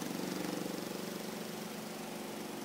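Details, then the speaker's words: Oceano OWS-07L semi-auto washing machine spin cycle after load is centred and balanced: steady, even motor whir with a soft tub pulse, no banging, no noise. "no noise at all that's it"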